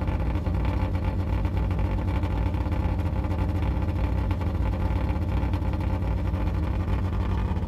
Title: Yugo exhaust leak